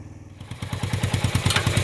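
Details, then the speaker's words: 1980 Suzuki GS450 barn-find motorcycle revived and ridden through first and second gear, no air cleaners, carbs not properly jetted: crisp exhaust pulses quicken with throttle, with a bog from excess air. The engine is running again. "oh oh there's that bog we're just sucking too much air it's really hard to get it wound out uh without air cleaners or having a jeted right but hey it's a whole lot better than sitting behind a baron somewhere going to"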